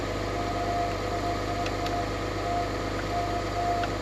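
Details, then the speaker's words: Diesel truck with two batteries, idling: rumble with a faint broken high chirp coming and going every half second. Owner suspects the AC compressor is failing again; weird squeak unconfirmed. "I don't know if you guys can hear that diesel but man it sounds horrible sounds like I got an AC pump going out again are weird squeak"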